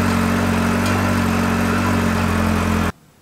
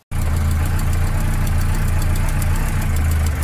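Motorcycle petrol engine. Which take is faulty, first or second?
second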